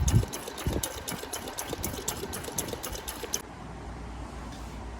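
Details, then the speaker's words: Honda City CNG with leaking injectors causing stumbling, injectors on a cleaning bench on the second wash: crisp, evenly spaced clicks about three a second over a watery hiss, then stop; injectors opening and closing cleanly. "ตอนนี้น้ำก็เริ่มใสหัวฉีดก็ปิดเปิดได้ดีอยู่โอเคเดี๋ยวเรารอร้านเสร็จนะครับ"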